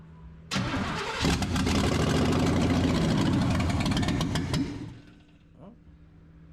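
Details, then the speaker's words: 1971 GMC farm truck, sat with stale fuel: starter churns briefly, engine catches on gas poured into carburetor, roars a few seconds then dies; ignition confirmed working, old fuel to be drained. "so we got ignition there she works all right"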